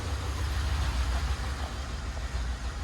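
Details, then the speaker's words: Volvo V60 non-runner, first start on a weak battery: a deep, lumpy, uneven idle with a dropped pulse each cycle. Owner says it sounds like it's only running on four cylinders; cause not confirmed. "go on mate give it a try sounds like it's only running on four to me it does run though"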